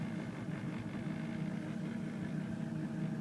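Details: 2003 Ford F250 6.0L diesel cold start at about 3°F, wind chill -15: started right up, steady, even low diesel rumble with no knocks or misses; idling smoothly.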